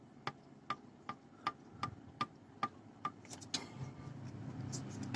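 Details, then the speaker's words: Honda CBR150 camshaft rocked by hand with the engine off: sharp dry ticks about twice a second from excess cam play, a worn cam holder suspected; said to sound worse with the engine running under timing chain pull. "Apalagi sudah, kalau sudah ada di mesin ya, mesin nyala, ada tarikan dari rantai keteng ataupun dari gigi timing ya, itu bunyinya lebih parah."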